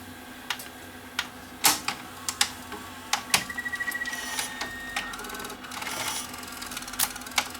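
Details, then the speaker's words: Panasonic PV-4361 VHS VCR with more than one fault: irregular sharp clicks, clatter and a brief thin squeal over quiet hum during rewind; noisy rewind. "okay it's gonna rewind noisy I think there's two problems with this machine"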